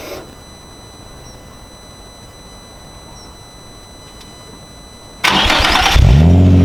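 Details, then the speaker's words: Nissan 350Z V6 cold start after fitting a Cobra non-resonated exhaust line with TP34 tips, camera placed just behind the car: five seconds of near silence, then an abrupt catch into a loud, deep, steady rumble; normal healthy start. "donc comme vous avez vu le bruit qu'elle fait c'est ça rien avoir en fait c'est amplifié moi je dirais faut à 10 voire x 20 par rapport aux sons d'origine et le son est trop beau"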